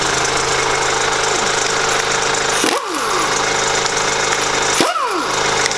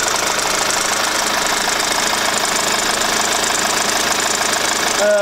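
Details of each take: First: Kia Grand Carnival with 100,000 km, idling: besides normal engine sound a high bird- or cricket-like chirping squeak in short falling sweeps, heard best at the wheel with tire removed; crankshaft damper pulley failing, green powder visible, pulley to be replaced. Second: Kia Grand Carnival that made a squeaking bird/cricket noise from a rusted, failing damper pulley; after installing a new damper pulley the engine idles steadily with an even hiss and only a faint leftover chirp, the noise much reduced.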